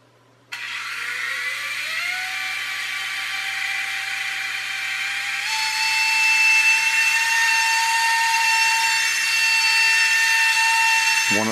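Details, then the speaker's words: U809 Air Attack toy helicopter: small electric motor spins up to a high, thin steady whine without lifting because the pinion gears slip on the motor shafts; fix is super-gluing the gears back on. "Motors is slipping isn't it we can hear it whining again oh that's annoying but we know what the fix is take it apart and glue them back in again curses"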